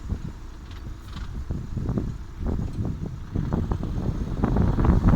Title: Passat 3C - wheel clatter noise